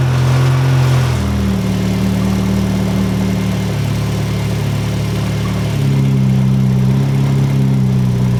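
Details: Ford Escort GT idling just after swapping to a BP4W head (original head pulled for a stripped plug hole): steady smooth low idle, no ticking or tapping, much quieter than before; swap judged a success, timing not yet set.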